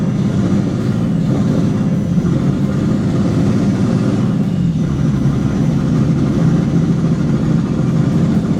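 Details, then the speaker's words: Bentley Continental GT unused since 2017 runs rough and steady only with the gas pedal held, shutting down straight away otherwise; cannot idle on its own. "I mean, I need to hold the per gas pedal. It shuts down straight away."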